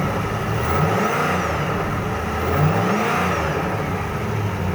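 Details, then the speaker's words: 1000 HP LS1 Trans Am on first start after fitting a new air-cooled turbo, cold and running slightly rich, oil topped up, oil pressure good: revs rise and fall cleanly with no whistle or rattle, turbo quiet unloaded. Normal free rev. "the TA is running beautifully I topped up the oil because we lost a little oil pressure is perfect and the tune on this car is spot on it runs just absolutely perfect"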